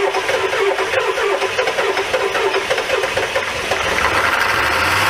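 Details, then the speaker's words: Old diesel revived, injector lines tightened and cross-threaded cylinder one injector extension repaired: loud clatter catching and settling into rough idle with heavy crankcase chuffing; so much blow-by, but it runs. "ah there's no way there's so much blow-by"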